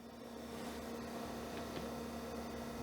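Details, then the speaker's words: Olivetti M300-30/P floppy drive booting from a boot disk; faint irregular ticks over steady hum as the head seeks a few times but never loads, disk believed broken. "But I don't think it's doing much besides that. So maybe this one is broken. I'm not getting much out of it. It's seeking a few times. So, that's that's not good."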